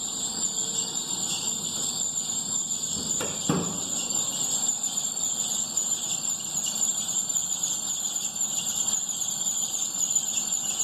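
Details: 2011 Astra with new Poly-V belt, crankshaft pulley already checked: steady high-pitched squeal when A/C switched on, belt slipping under compressor load; tensioner suspected, not confirmed.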